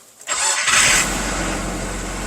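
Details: 1998 Nissan Frontier 2.4 after fuel filter replacement, key cycled three times before start: brief crank, quick catch and rev, then settles into an even, steady idle without stumbling; starts and runs healthy, no leaks.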